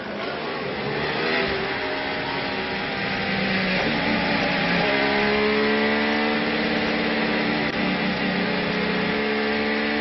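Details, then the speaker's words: Rosberg's Mercedes F1 car at the Spanish Grand Prix, pit lane exit: the high-pitched engine note climbs, then twice falls back and climbs again instead of pulling cleanly as it goes into Mercedes' protective limp mode, an engine default setting. "what's happened there as he avoid throttle in the end it didn't like it and it went straight into to what Mercedes called protective limp mode"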